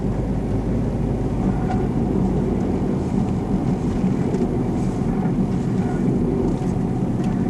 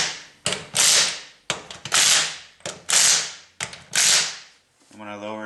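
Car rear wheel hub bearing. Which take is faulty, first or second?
first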